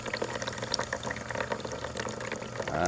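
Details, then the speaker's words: 1996 Elektra La Deliziosa T1 espresso machine, long in storage, button 3 dispense: thin uneven trickle and gurgle from the group head; owner suspects the clogged shower screen needs pulling and cleaning, unconfirmed. "sure that screen needs to be pulled and cleaned. This unit was in storage for some time."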